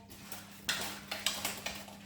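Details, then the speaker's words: 42-year-old Honda CX500 motorcycle, fuel pipe removed and petrol off, tank moved by hand: sharp metallic clinks and rattles in bursts; loose metal bits inside the somewhat rusty fuel tank. "There's metal bits in the tank."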